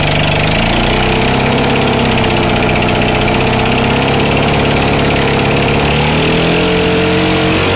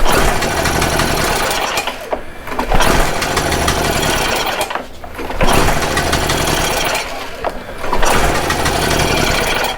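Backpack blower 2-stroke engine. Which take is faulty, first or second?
second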